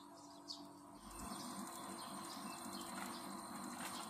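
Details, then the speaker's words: Air conditioner outdoor unit that would not cool because the compressor would not start, after replacing the 25 µF capacitor: about a second in, a low steady hum starts and holds; compressor now starting and running normally. "压缩机有响声出来，现在它的启动正常，让它运行5分钟"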